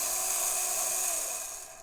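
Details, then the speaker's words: Vintage Triang/Hornby model railway locomotive, stored in a shed box for years, motor tested: thin high steady electric whir easing off and stopping after two seconds; wheels spin, motor runs freely. "Well, you can see that, you can hear it, certainly hear it. The wheels do spin."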